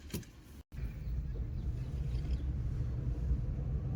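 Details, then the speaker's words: Maruti Eeco at idle: low, uneven shaky rumble with heavy vibration from engine misfire, also backfiring at times; plug or coil suspected. "ચાલુ તો મિત્રોગા ગાડી અત્યારે ફટાકડા તો નથી ફોડતી પણ એન્જિન મિસિંગ બહુ જ કરે છે વાઈબ્રેશન બહુ કરે છે"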